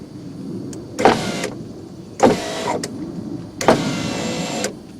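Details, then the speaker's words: 1991 Mercedes-Benz 420 SEL, driver's rear power window on a non-OEM regulator repair, tested with a new switch: motor whirs with clacks and play. Early regulator jaw failure, to be fixed preemptively with a new plastic jaw. "It's got a little bit of play in it, but that is just waiting to fail."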